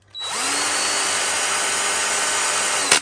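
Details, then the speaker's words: New Parkside PABS 20-Li E6 20V 45Nm cordless drill, non-hammer, brushed motor, first start: quick spin-up to a steady high whine, even for about three seconds, then stops; normal run, sparking normal, grinding at release is the Quick Stop chuck brake. "Questo è un motore a spazzole, dunque la formazione di scintille è del tutto normale. Lo avvio un paio di volte in modo che si crei una sorta di rodaggio tra spazzole e motore."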